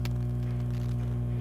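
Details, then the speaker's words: Car or home audio unit with an added Bluetooth adapter board, volume 26: steady low mains hum from the speakers injected by the adapter. "vocês podem perceber que tá dando ruído eu quero tirar esse ruído"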